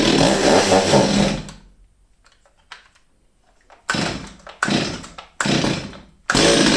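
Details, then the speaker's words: Old STIHL 023 chainsaw, sat unused over two years, fresh fuel, started with brake on: revs briefly then falls away and nearly dies, fuel starvation; suspected stuck carburetor, damaged fuel line, fuel filter or diaphragm. "Như các bạn thấy, có vẻ như không đủ nhiên liệu."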